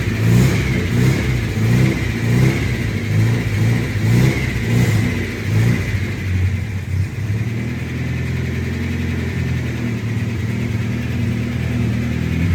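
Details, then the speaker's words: 1971 Datsun 521 pickup with a suspect carburetor needing rebuild: revs up and settles with a faint light tapping, rough and uneven; lifters suspected, steam seen coming out; cause not confirmed. "the Lakers don't sound happy the lifters don't sound happy at all we got steam coming out of here"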